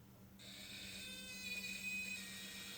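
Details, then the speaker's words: Flasher relay on a variable bench power supply, voltmeter reading about 9.5 V: thin steady high-pitched whine over low hum instead of clean clicking, relay buzzing and sounding in pain; something not right suspected. "It probably isn't doing the relay any good at all at the moment. No, it sounds like it's in pain. It does. It's like, killing me."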